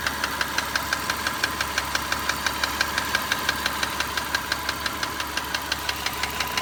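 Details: Car driven about 45,000 km over four years, valve clearances just adjusted to spec: sharp, regular light ticks about three a second above a steady idle, never fading at normal operating temperature; owner doubts piston slap, cause not found.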